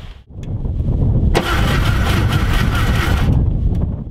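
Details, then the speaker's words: VW Thing Type 181 sitting 32 years, first crank after de-icing and connecting a battery, points not yet cleaned; labored, uneven, slow cranking that sags without catching; owner suspects weak battery or bad connections, possibly something hitting the fan. "do you think i don't think it sounded terrible battery sounded a little weak bad connections"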